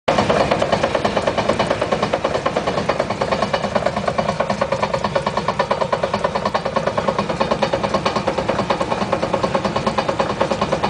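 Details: 1956 Chrysler New Yorker idling in neutral with all wheels off the ground: a steady dull "dong dong" knock a little over two beats a second, with floor vibration. It stops when the handbrake or brake pedal is applied and is heard on the road only when coasting.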